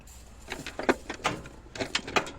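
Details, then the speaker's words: International 484 tractor: a few sharp clicks with no cranking, so the starter motor clicks but the engine never turns over. The owner suspects it may be dirty. "hang on so we've got this clicking sound on it"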